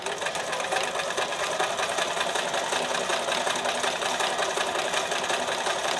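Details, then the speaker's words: Sewing machine being diagnosed at thread tension 5: fast steady chatter about 160 stitches a minute, fairly even, but still dropping an occasional stitch at the end; skipped stitches from thread tension, much improved. "Oh, almost. Just right at the end it dropped one. But that's phenomenally better."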